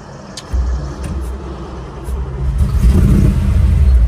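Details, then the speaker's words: 1955 Chevy 210 with 427 big block, tunnel ram, dual 4-barrel carbs, 4-speed, running rich, before tune-up, driving: deep uneven V8 rumble stumbling and loping under throttle; misfire, sounds like a loose spark plug. "misfire sounds like it's got a spark plug hanging out"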